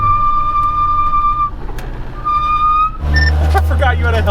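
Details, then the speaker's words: McLaren 570S GT4 race car driven on the road: high steady squeal comes and goes twice over road and engine noise, rising slightly in pitch; the brakes are singing. "Is yours super squeaky? My brakes are singing, you"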